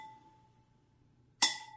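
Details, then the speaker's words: Harley-Davidson spoked wheel during safety inspection, spokes tapped with a tool; clear bell-like ring fading slowly, no dull thud. Spokes properly tensioned, normal ring. "so those are all sounding pretty musical"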